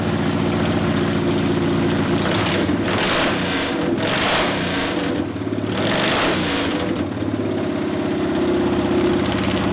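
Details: 1999 80ci Evo V-twin, first start after rewiring: uneven loping idle with dips and stumbles, won't settle; idle mixture 2.5 turns out, owner suspects lean, wants more low-speed jet, accelerator pump possibly not working. Lean rough idle.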